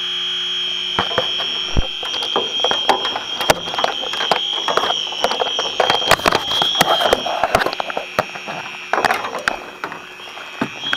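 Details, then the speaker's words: Aging home air conditioner low on refrigerant, electronic detector probing lower evaporator coil: shrill high-pitched alarm with rapid clicks; refrigerant leak detected, coil has multiple leaks. "right let's let this thing base out I guess this coil has multiple weeks in it"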